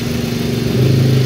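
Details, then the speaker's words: Suzuki SX4 S-Cross automatic, brought in for heavy, sluggish, misfiring acceleration with a melted ignition coil, after cleaning and part replacement, idling unrevved for ECU sensor relearn: even, low, very smooth idle, no misses, knocks or roughness; normal idle. "ini suara mesinnya terdengar halus halus sekali ya sobat ya tidak ada suara-suara kasar dan lancar aman semuanya"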